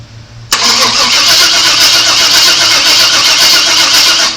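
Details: 1997 Chevrolet Suburban after sitting broken for years, 11.8 volts at the coil: sudden steady harsh cranking for four seconds that never catches; crank no start, cause suspected, not confirmed.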